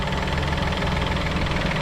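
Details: Peugeot 2008 just after wet timing belt change, first start: steady, even idle with a smooth low hum and no knocks, ticks or misses; a fault code is stored from cranking.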